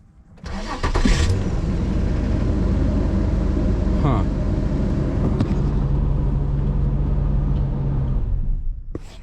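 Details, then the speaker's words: AWD Honda started with a jump pack: fires and runs at a rough, uneven idle for about eight seconds, then abruptly dies; voltage dropped to about 9 V with lights on, bad alternator suspected; engine stalls after starting. "Huh, I see. It just turned off. It just completely died."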